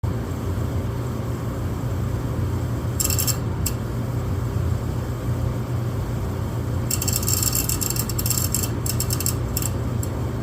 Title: Furnace makes clicking noise, shuts off then re-lights. What causes this??